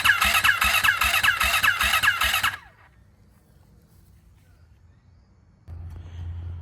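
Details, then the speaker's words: Freshly rebuilt turbo Yamaha YZ450F now 500, E85 fuel at about E78, fuel pressure primed, battery good; first start attempt: starter labours in slow heavy pulses about two and a half a second without catching, hard cranking. "Shortly after that last clip, I basically went through a head scratching situation because, as you could hear in that last clip, the bike, it was like struggling to crank."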